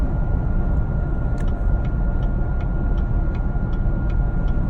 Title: Whining noise 20 seconds in